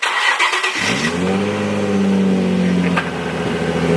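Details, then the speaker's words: Nissan 350Z cold start on a cut and broken stock exhaust: starter catches into a loud, raspy high idle with coarse rumble; broken exhaust, full exhaust replacement planned. "doesn't sound that bad for being stock and broken but yeah it definitely needs a full exhaust"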